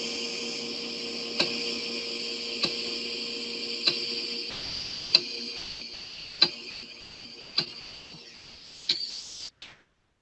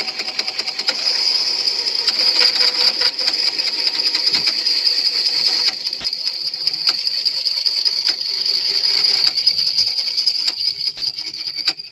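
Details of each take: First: Floppy disk drive in good condition reading the same old disk tracks as a faulty drive did, during recovery of the Repton 3 source code: a steady, louder motor hum with crisp head-step clicks and no scraping or screeching. Normal disk reading. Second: Teac floppy drive reading an old, damaged disk: harsh, scratchy grinding mixed with squeaks over a high hiss throughout the read; the drive itself is well maintained, so the noise comes from the disk surface. Damaged floppy disk surface grinding.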